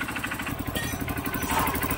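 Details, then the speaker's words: Honda CRF150 single, previously noisy with a knock, now quiet: fast, even putter with steady firing pulses and no knocking; idling cleanly and healthy. "so hindi na siya maingay. Yung dati kasi maingay to eh."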